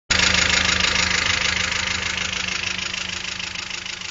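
Idling engine with a quick, regular tapping near four beats per second riding over the run; ticking noise of unknown cause.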